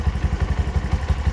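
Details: Low-mileage Bajaj BS6 single-cylinder petrol bike after engine rebuild with new crankshaft bearings, filter and seals: even, low thudding at about six beats a second with no knocks or clatter, a smooth healthy idle.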